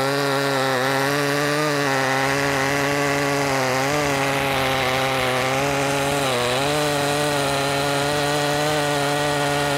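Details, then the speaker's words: Makita 5600 (Dolmar-built) chainsaw with freshly sharpened chain (rakers possibly filed too low): strong high snarl dipping slightly under load and recovering smoothly; cutting much nicer than the dull chain. "most definitely cutting a lot nicer now let's see the RPMs in the cut make sure we get it all squared away"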